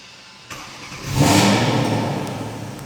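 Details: Porsche engine blipped from idle to a quick rev and back; slightly uneven rise fitting a misfire, cylinder not identified, cause unconfirmed; scan tool diagnosis suggested.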